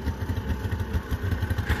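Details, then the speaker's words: Smoky, loaded-up van started on choke, then choke off and revved to clear. Low, fast, even pulsing idle at about eight beats a second with no misfires or stumbles; the engine is clearing up and running smoothly. "oh yeah she's clearing up nice that's a good little van"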